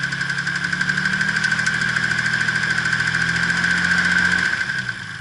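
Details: Nissan R32 GTR RB26DETT: sharp repeating knock about three per second over idle, worse with more RPM; oil pressure slightly lower; suspected rod knock, not confirmed.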